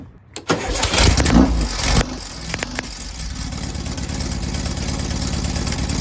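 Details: 1968 VW Baja Bug after adjusting ignition timing with a voltmeter to cure backfire: cranks briefly, catches cleanly and settles into a steady even idle with no pops or backfires.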